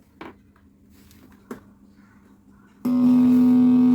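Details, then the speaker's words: Amplifier fed through an RCA lead with unshielded wire: a loud, steady low buzz at one pitch with no signal playing, earth-noise hum that disappears when a shielded-wire RCA lead is used. "வெறும் வேறு கொடுக்கும்போதே அந்த sound வருது. இது sealed wire இல்லாத RCI பின்னது."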